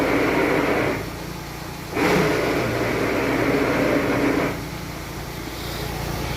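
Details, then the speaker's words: VW Amarok, recorded near the gearbox: rough gritty drone swells when the clutch pedal is pressed to the floor and eases on release; clutch release bearing first suspected, found to be worn pilot bearing at crankshaft end, replaced with dual-mass flywheel removed. "Simplesmente a hora que nós pisa na embreagem lá. Ó, chega até o final, ela faz."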